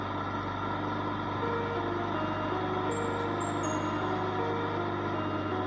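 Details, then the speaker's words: Honda HRX217 self-propelled push mower test run after a full tune-up including a cold valve adjustment: small engine holding a steady, even drone with no misses or surging, birds in the background; runs healthy and good to go. "Look like another one is good to go."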